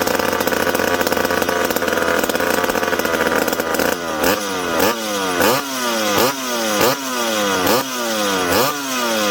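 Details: McCulloch PM700 chainsaw, freshly ported, first start after fuel tank refit: screaming high rev for four seconds, then steady idle with an even blip about every 0.7 s; runs healthy.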